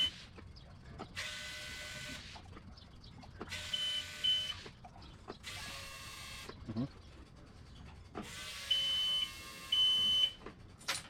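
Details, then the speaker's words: Boat starboard engine after electric fuel pump replacement, tank low on fuel: short bursts of high electric whirring with pauses as the new pump cycles on and off priming, drawing fuel in; sounds normal. "All right, so now we're going to prime the pump, so to speak, and you'll hear the difference. So it's trying to draw fuel into the pump."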